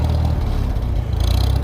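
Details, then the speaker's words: Farmall 400 tractor after a starter and solenoid swap: chugging with a slightly uneven, lumpy, missing beat that is smoothing out; rough running, owner suspects it is running rich, carburetor not adjusted. "nd it's missing a little bit now. I know it is running rich for some reason."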